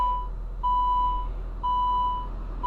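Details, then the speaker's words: 2007 Saab 9-3 2.0T, just started after a spark plug change. A steady high-pitched chime pulses about once a second over a quiet idle. Door ajar warning chime. "Hey, riddle me this, Batman. When is a door not a door? When it's ajar."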